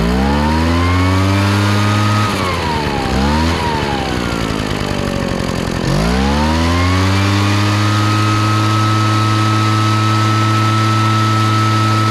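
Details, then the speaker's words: Craftsman backpack blower that poured raw fuel from the muffler, after fixing a stuck-down metering diaphragm and readjusting a carburetor someone had leaned way out: crisp two-stroke buzz dips on throttle blip, then holds steady high revs. Normal running. "all right sounds good so I think that fixed it apparently somebody had uh leaned the carburetor way out probably when it was flooding and they were trying to make it run correctly"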